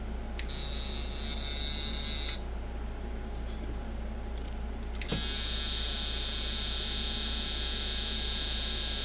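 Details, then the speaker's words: eBay Micky Sharpz hybrid clone coil tattoo machine with large contact gap and too much spring tension: harsh buzz cutting out and restarting unevenly, doesn't want to run. Coil tattoo machine running poorly. "oh God man he doesn't want to run either okay oh that's a pretty big gap there's a lot of tension in this spring on this thing still doesn't really want to run"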